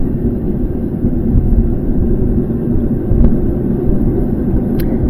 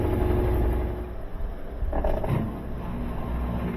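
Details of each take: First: GE top-load washing machine in spin test, basket starting a slow spin: deep steady rumble from worn bearings inside the sealed gear case; gearcase shot, gearbox replaced. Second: GE top-load washer after gearbox replacement, test wash: steady low rumble of a smooth spin cycle with no bearing noise, drain pump kicking in briefly; machine fixed.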